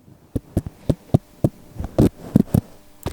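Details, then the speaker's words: Karearea Titi micro FPV drone 1507 4200 kV motor turned by hand near the mic: uneven sharp clicks, about two a second, notchy from strong magnets; normal cogging for this motor, expected to be thirsty on battery. "trust me when I say these motors the magnets in here it is going to tear your battery a new one"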